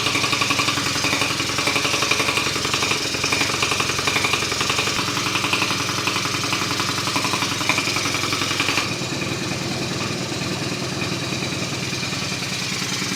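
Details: 2004 Kymco Super 9s, 50cc liquid-cooled two-stroke scooter, sat over a year after a no-start, top end rebuilt and carb checked, refilling coolant: settles into a busy, steady idle with an even buzzy rattle, no misses; normal idle.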